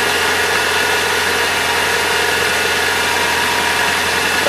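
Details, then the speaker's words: 1997 Saturn after belt tensioner and belt replacement: steady, even idle with smooth hum and no squeal or chirp from the belt area; engine sounds healthy. "seems to be good from here. I like it."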